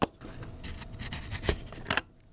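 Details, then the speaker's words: Surui manual lens (23mm Sniper or 35mm Cine Night Walker) being twisted off a Fujifilm X-T5/X-H2S mount: a short, dry, gritty metal-on-metal rasp. The poorly machined lens mount shaves off metal flakes. "oh it's so bad there's that's getting little metal shavings right inside there it's terrible"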